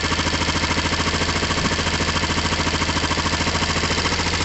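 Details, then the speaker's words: Motorcycle with air box fitted loosely, clutch pulled in: even, steady thrum about three and a half pulses a second, no misses or knocks; idling normally. "um that sounds fairly normal to me"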